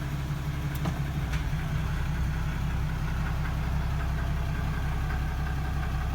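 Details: 2016 Ram 2500 6.7 Cummins diesel, just over 2,000 miles, idling after oil change with synthetic oil and prefilled filter, oil pressure reaching 40 PSI: steady even diesel rumble with light clatter, no knocks or misses; healthy idle.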